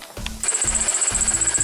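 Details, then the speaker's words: BMW E46 325i 2.5 six-cylinder, cold start-up: a shrill pulsing squeal with low rhythmic clicks over the idle, from a worn belt idler pulley or tensioner; the owner says it gets worse when warm, and the pulleys and tensioner are being replaced. "Okay, you can hear the squeaking from the pulley right there. And when it warms up, it's even gonna be worse than that right now."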